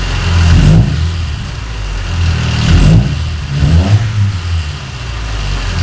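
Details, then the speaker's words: Car recently repaired for a warped head, after replacing sloppily refitted spark plug wires that caused rough running: clean rev-ups dropping to a steady even idle, no spitting, more power; running normally. "okay sound better yeah sounds like it has more power"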